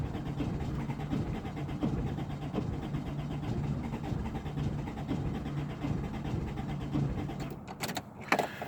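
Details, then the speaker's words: 1996 Toyota Corolla, intermittent no-start about once a week despite replaced distributor, fuel pump and cleaned injectors: starter grinds steadily about eight seconds with low churning rhythm, engine never catches; cranks without firing. "Every now and then it just won't start. I've replaced the distributor, I've replaced a fuel pump, I've cleaned the injectors, and once a week it just does this."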